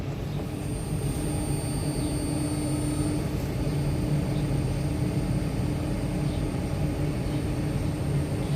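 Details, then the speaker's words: Motor driven by Danfoss VLT2800 VFD after servicing, cooling fan replaced, local start at 41.41 Hz set frequency: steady even low hum with constant drive whine, no knocks or roughness; normal motor run. "ഇപ്പോൾ 41.41ലാണ് നമ്മൾ frequency set ചെയ്തിരിക്കുന്നത്. ആ സ്പീഡിലാണ് ഇപ്പോൾ run ആകുന്നത്."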